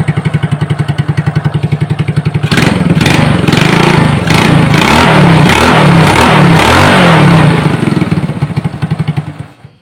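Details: Honda Supra motorbike with a mixed BMC/Honda crankcase, after teardown to cure a rough noise, valve cover cap off to check oil reaching the head: even steady single-cylinder idle, a rev in the middle dropping back smoothly, no knock; normal idle.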